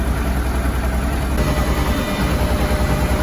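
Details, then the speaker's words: Honda Deauville NT700VA after throttle position sensor replacement and ECM recalibration for an FI light fault (8 blinks), warming up until the fan cuts in: steady, even idle at about 1,050 rpm with no knocks or misses; normal idle. "so you can see pretty steady there at about 1,50 rows so hopefully that's all good main thing is it starts"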